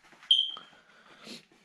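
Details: PC that powers on then shuts off, SSD nearly new, motherboard suspected: one short sharp high-pitched beep at switch-on, then faint clicks. Power-on warning beep of unclear meaning.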